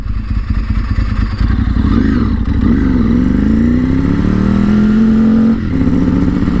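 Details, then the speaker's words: Ducati motorcycle on a test ride after a repair attempt on a broken male barb fitting: revs climb unevenly and sag under larger throttle openings, fine with light throttle; hesitation under throttle, repair did not solve it. "nope still being stupid see see if you like touch it a little bit it'll be fine but as soon as you give it a little handful of throttle it doesn't want to"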